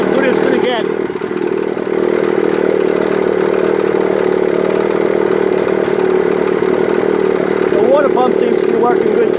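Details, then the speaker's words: 1955 Mercury Mark 20H 16HP racing outboard, dialed in after ignition timing correction and cracked number one plug boot: steady, even two-stroke buzz at one speed without misses or surging; normal running. "but now i got it running really good my trial and error i picked up a shot manual too for the motor that helps a little bit"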